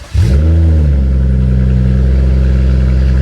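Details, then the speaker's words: BMW F30 335i rebuild, first cold start with exhaust disconnected (open downpipe): starter catches, revs flare, then loud deep steady idle without misses or knocks; no warning lights or leaks, though radiator fan did not come on. "It's actually not that bad. Cold start actually sounds pretty nice."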